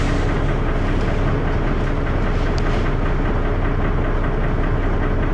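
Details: First Manchester Dennis Arrow bus 31923, recorded onboard with a phone: heavy diesel thrash with a loose, uneven knock underneath at about seventy-odd a minute; loud engine knocking, cause unknown.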